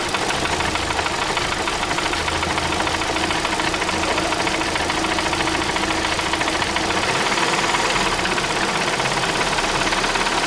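Fast, loosely regular ticking, about three per second, over a steady idle; a clear top-end tick whose source isn't pinned down.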